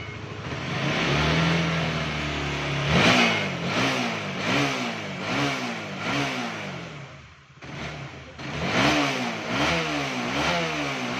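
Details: Honda CBR150 (K45) after fixing a no-start with lost compression: engine catches and settles to a steady idle, then several clean rev blips rise and fall evenly; healthy single running normally.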